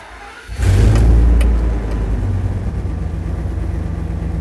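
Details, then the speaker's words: 2000-2005 Ford Excursion after a fuel pump module replacement, key cycled three or four times to purge air: brief crank, fires right up with a quick flare of revs, then a smooth steady idle. Normal start and idle. "Now, it may stumble a little bit if there's still any fuel or air left in the fuel system, but it should start and run."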